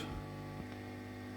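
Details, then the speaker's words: 1968 Twin amplifier, hunting noises with ground tests: a steady low mains hum with faint buzz above it that grows louder when the ground wire is moved to the transformer's common point. "je rajoute une ronfle ici sur le point le commun du transformateur la route augmente"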